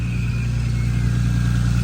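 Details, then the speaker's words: R33 Skyline, fully forged engine past 2000 miles, decat exhaust, cold start after fresh fully synthetic oil change: steady deep idle with loud even exhaust drone, no knocks or misses; normal cold start idle. "this is a cold start basically not massively loud you can't hear it properly on video because I've not got a fancy microphone or anything"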